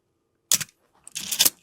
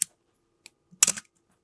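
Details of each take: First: Canon A-1 at 1/1000 s shutter speed, before re-lubrication: a sharp snap, then a drawn-out rasping whir with a faint squeak. It is the 'Canon cough' shutter squeal from dry mirror box gears. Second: Canon A-1 after lubricating the mirror-box gears to cure a squeaky, coughing shutter: crisp, snappy shutter clacks fired one after another, each clean and even with no squeak or drag; the shutter now works properly.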